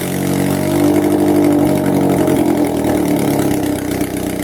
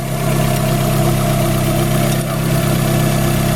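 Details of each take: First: Car #92 running with the exhaust manifold removed during manifold work: loud raw bark with harsh rasp at idle and light revs, exhausting straight out of the head ports. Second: Car #92 at warm idle while the distributor is rotated to advance ignition timing: smooth idle firming slightly in pitch as engine speed picks up a little with the advance.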